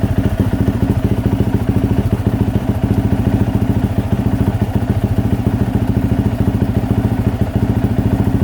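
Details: 2024 Yamaha YZ450F after overheating that melted the plastic water spout, idling with drain bolt out while flushing coolant with water: steady, even, quick single-cylinder thump with no rattle or miss; healthy idle.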